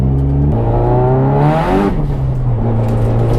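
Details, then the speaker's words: Track car at Willow Springs after re-gasketing the timing chain tensioner with a new nut and refitting the valve cover: engine pulls cleanly up through the revs and shifts with no top-end rattle. Normal running after the repair. "Hey. It's good. So fingers crossed she holds together now."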